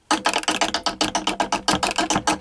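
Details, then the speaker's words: 1922 VV-50 phonograph spring motor as the turntable starts: rapid sharp whacks about eight per second from a governor weight whose little spring is broken, swinging on one end and hitting the housing. "The little spring is broken, and the weight is hanging on one end, and it's swinging around, and it's hitting the wood, it's hitting the housing there, and it's making that whack, whack, whack sound."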